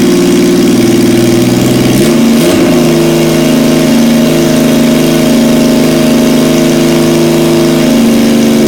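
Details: 1977 Yamaha XS750, first start in 30 years, rebuilt carbs, velocity stacks, new oil, filter, plugs, resistors and throttle cable, auxiliary fuel tank: steady idle, brief throttle blip, then settles back to a smooth, consistent idle; healthy.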